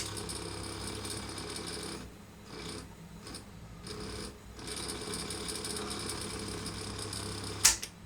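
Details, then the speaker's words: Philips EL 3514 tape recorder rewinding with no tape fitted and no speaker connected: steady whirring rattle over low mains hum, rougher and louder than it should be. Noisy rewind. "I mean, it's a bit noisy, but that that being said, the last one I did was or uh let's put me tape on."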